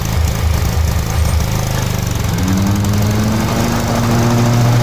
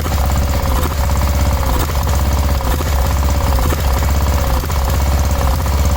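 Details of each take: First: 1987 Cub Cadet 1106 riding lawn tractor, sat over 4 years, on function test: loud steady low thrum rising slightly in pitch as throttle opens, runs evenly; normal running. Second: 1986/1987 Cub Cadet 1106 riding tractor, sat over 4 years, first start: runs hard but stumbles and surges about once a second, sputtering miss; owner smells very old rank fuel, suspects stale fuel; throttle also stopped working.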